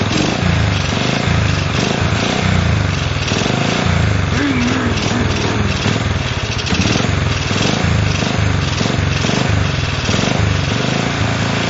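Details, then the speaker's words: Honda CL70 engine: small single thumps along, then a dead spot where it bogs as throttle opens before picking up; acceleration bog. "you hear that dead spot when it starts to suck that air in and bogging down and then it picks up"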